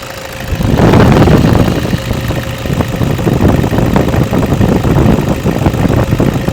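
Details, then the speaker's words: 2008 Toyota Vigo 2.5 E diesel pickup catches and settles into an even idle clatter with no stumbling, shake or smoke. Normal diesel idle. "เสียงเครื่องดังเดินปกติไม่มีสั่นคอใดๆไม่มีสั่นเบาเดินรอบเบาไม่มีนี่เครื่องเสียงดังปกติครับ"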